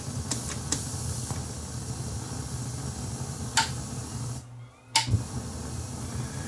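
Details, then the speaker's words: Akai 4000DS MK2 reel-to-reel powered on but not playing: a constant hiss and low hum under a few clicks; really noisy amplifiers, blamed on failing transistors rather than capacitors. "we got noisy amplifiers on this too really noisy amplifiers yikes"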